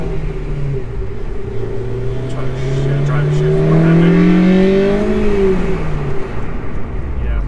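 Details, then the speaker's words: Honda S2000 on a test drive after clutch replacement, UK mod, and clutch and brake fluid service: smooth, low, even drone rising and falling with the throttle, no knocks or rattles; clutch smoother, mellow-sounding engine running normally. "now the clutch feels much better it feels smoother and it's got a pretty mellow sound you hear that"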